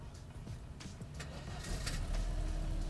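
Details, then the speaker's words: 1986 Mercedes-Benz W124 230E, start test checking the distributor: only a brief crank before it catches on the first try and settles into a steady idle. Normal quick start, no hard-start problem. "ternyata langsung sekali stater nyala"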